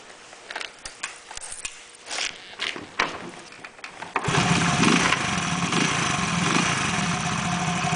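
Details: After repair of an abnormal engine noise: several clicks and scuffs, then the engine starts at about four seconds and settles into a steady, even run with no odd noise; the abnormal noise is fixed.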